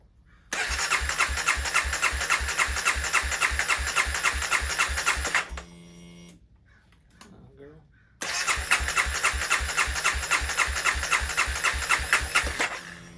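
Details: 2016 CBR300R with 1133 miles, parked 7 years, started during a coolant top-up: it fires straight up twice and settles into a crisp, even idle with steady pulses each time; a healthy start, with the battery charging at 15.6 V.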